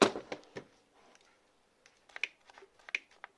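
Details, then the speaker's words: Replacement Parkside black-series cordless reciprocating saw with a fully charged 4Ah battery: the front LED lights but only faint dry clicks come and the motor never spins; tool fails to start like the first one, which failed after about 30 minutes of cutting metal angle. "Se aprinde în față LED-ul. Auziți păcănitul? Și evident că nici asta nu merge."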